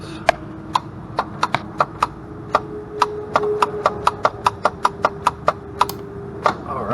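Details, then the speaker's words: 2003 EZGO TXT gas golf cart, new battery, customer-installed Amazon starter: sharp solenoid clicks about three times a second with no cranking from the starter generator; will click but not run. "so we can hear there that the solenoids clicking but I'm not getting nothing out of the starter generator"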